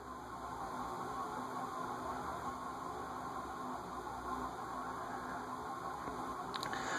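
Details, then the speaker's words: Cast-iron Heat Recovery Systems L-356 ceiling fan, circa 1991, previously seized, bearings freed with WD-40 (upper bearings rusted); steady whirring bearing noise amplified by the metal housing. "the one downside to cast-iron fans as the cat fan amplifies the bearing noise you can hear it sounds like a whirring sound"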